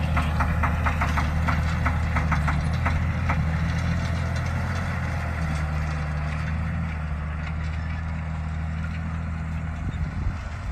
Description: Neighbor's Challenger MT675D with bad injectors, pulling a DMI 10 shank inline ripper.